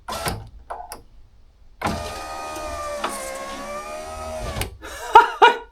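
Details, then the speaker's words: Honda Civic EJ9 hatch, passenger power window just fixed by adjusting and cleaning the rails and greasing the runner: smooth, even motor hum for about three seconds, no binding or clicking; normal window operation. "Just testing out my new window there. I did. How ironic is this? I've just fixed George's window, the passenger side."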